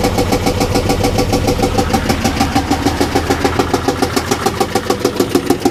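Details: Rescue car engine running with uneven pulsing chuff about three times a second, dull beat not sharp knock; owner thought it sounded like a miss, later smelled coolant and suspects blown head gasket, unconfirmed.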